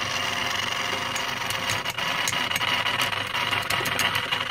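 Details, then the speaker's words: EBM-Papst M4Q045-CA01-09 shaded-pole fan motor (230VAC 50Hz, 1300 RPM, steel sleeve bushings) from a Frico 2 kW heater fan that won't run: rattly buzzing hum with scattered ticks, then stops; owner guesses bearing problem, shaft has lots of play. "Yes sounds bad and there we and there it stopped so yeah it's a bearing problem I guess"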